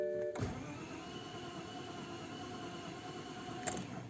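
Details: BMW 5 Series E60 520i M54 engine that stopped normally and now won't start, no fault codes stored: starter spins the engine steadily for several seconds but it never catches; crank no start, cause undiagnosed.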